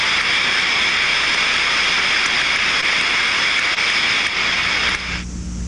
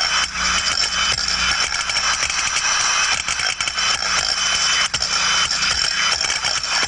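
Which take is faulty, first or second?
first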